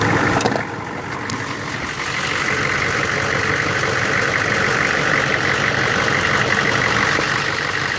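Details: 1999 Chevy 6.5 diesel truck: loud clattery idle with uneven lumpy beat that never smooths out; bad fuel injection pump, owner wonders about AC circuit or engine load link; replacing the pump fixed it.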